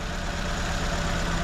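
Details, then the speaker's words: 2004 Nissan Sentra at idle, no misfire codes, only an air-fuel ratio sensor code: uneven, lumpy idle with a low shaky rumble that keeps stumbling; injector wiring pulses fine, so one cylinder likely misfires from a clogged fuel injector. "so the most likely problem here is you probably got a clogged injector it's not injecting fuel in there and that's why you're getting that miss"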